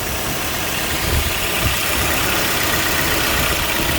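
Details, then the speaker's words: Toyota Probox NCP58G after repair: steady, even petrol idle with smooth low rumble, the earlier abnormal noise gone. "はい、音は消えましたね。"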